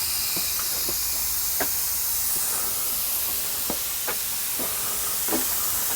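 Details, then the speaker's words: Air compressor being fitted with a PEX hard line: a hose on a barb fitting popped when air pressure was applied, giving a loud, steady high hiss of escaping air with faint ticks and pops. Split air hose leaking under pressure. "so that piece of Hose is failed this is air hose this piece of Hose failed"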